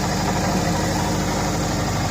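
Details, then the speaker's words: 2004 Subaru Impreza RS engine after reassembly with a JB Weld repair for coolant burning, first run in several months. Steady, even low rumble at idle with no knocks or misses. "It's the first time it ran in several months."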